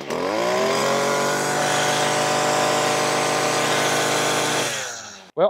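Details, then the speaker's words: Stihl FS56 RC string trimmer after a quick fix for bogging at high throttle, before any carburetor cleaning: screams up to a steady high whine and holds cleanly at full throttle, no bogging or stumble; normal full-throttle rev. "there it is guys that's uh that's one I I would say that's probably the easiest method to trying to fix a weirdest bogging down on high idle"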